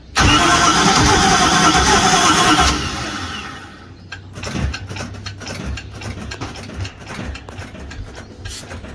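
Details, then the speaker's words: 1973 Holiday Mansion houseboat engine, first start attempt after reinstalling the fuel filler neck hose and batteries, with starting spray: steady starter churn about three turns a second that almost catches but never fires, then trails off; crank no-start, lack of fuel suspected. "It's almost trying. Is it? It almost tried."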